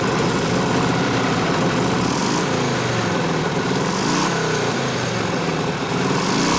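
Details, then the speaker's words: 1967 74ci Harley shovelhead FLH, Craigslist bike after assembly and transmission rebuild, warming up: loud, loping V-twin idle with uneven exhaust beat while the carb mixture screw is set around one turn; mid-range leaning out as it warms, running better. "as it warmed up the mid-range is starting to lean out so it's running better so we are half a turn one turn not quite one in a quarter so it gets real lean right here and it gets real rich"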